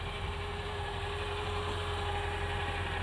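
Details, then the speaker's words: 2000 Mercedes-Benz ML55 AMG at idle: smooth, even, steady hum with no misses or hunting. No check engine light or codes. Cause undiagnosed. "here it's running fine I've got a couple warning lights on the dash those are not related but it doesn't even have a check engine light on"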